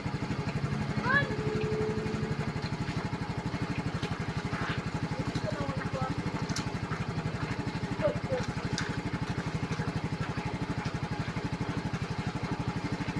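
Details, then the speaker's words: Yamaha scooter after flood water was cleared from the carburetor, engine warm and restarted on the key; small single-cylinder engine ticks over at a steady, even three pulses a second with no misfire or stumble, running normally. "So okay na to. Wala ng tubig. Wala na. Mainit na karburador."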